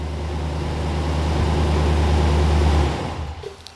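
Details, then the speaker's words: Ram 1500 5.7 Hemi, first start after replacing a broken passenger-side exhaust manifold bolt and gasket that caused cold-start ticking: smooth, even V8 idle with no ticking or puffing at the manifold, then a clean shutdown. It sounds like new. "we are going to do the first start on it before we put it back together and just make sure that we don't hear any more ticking or poofing here we go oh yeah she sounds like a brand new one"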